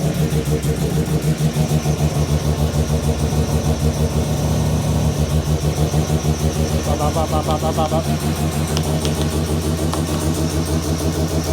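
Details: New Mazda 13B bridgeport rotary's first start after holding the throttle flat: fast choppy exhaust pulse settling to a steady, even idle, no misses or knocks; normal idle.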